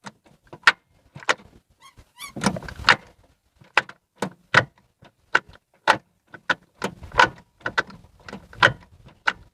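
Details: Ford Fiesta Zetec Rocam manual, microphone beside the gearbox: sharp metallic crack-crack bursts with each gear engagement, worst in second, over a quiet engine, gearbox oil slightly low; gear shift linkage clunk.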